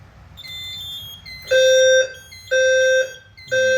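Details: Fire alarm panel fire drill: clear half-second beeps at a fixed mid pitch, about one per second with even gaps. This is the normal evacuation tone, followed by the voice evacuation message.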